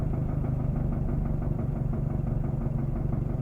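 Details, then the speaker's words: Mazdaspeed 3 idling warm after about 27 minutes and seven miles of driving gives a dull, unevenly timed thump about twice a second over the engine. It speeds up with higher rpm and slows at idle. The owner suspects timing chain slap but is unsure. "and it changes as i'm i'm driving if i'm at a higher rpm of course it's a little faster and if i'm uh at a lower high rpm or if i'm idling it's a little lower"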